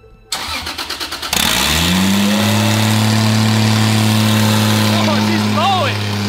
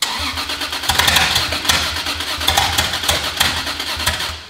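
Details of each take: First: Toyota Supra on its first start with its new parts, after a sensor that was not fully plugged in was fixed: brief crank, then a loud, steady, even idle with an open, raspy exhaust edge; normal idle. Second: Rebuilt Supra, first start attempt with no exhaust housing fitted. Starter cranks with scattered, uneven pops that never catch; ignition timing was suspected.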